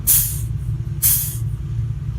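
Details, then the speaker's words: 1966 Chevy C60 semi truck, started after sitting for decades, at low idle with 30 psi air pressure: two sharp bursts of air hiss about a second apart as the trailer brakes release normally. "that's your trailer brakes"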